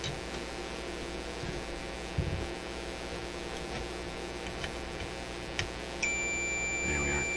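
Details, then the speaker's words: Motorola MK-56R AA5 radio on the bench, ohmmeter continuity test between the capacitor case and the outside chassis ground: quiet, then a steady high-pitched beep confirming a good ground connection. "So that's between the case of the capacitor and this outside ground piece. So I think that is enough evidence for me to say I can use that."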